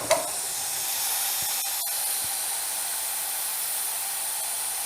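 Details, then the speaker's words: Discarded 2 HP Craftsman air compressor just after the motor is stopped: a steady high hiss of air bleeding back from the tank with no motor running. A failed check valve is suspected. "Well, I think we just found out why somebody wanted to get rid of it. This thing is leaking air right in here. Somewhere in here, either up here or down here, there should be a check valve that keeps the pressure in the tank and coming back into the pump."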